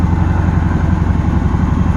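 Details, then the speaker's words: 1977 Pontiac LeMans V8 that won't come down off high idle: steady, fast deep burble with no dip or hunt; idle stuck too high. "see if we get her off this high idle okay [Music] i guess not"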